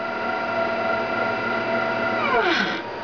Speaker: that noise is not any gear drag or anything like that it's just stepper motor driving that's the x axis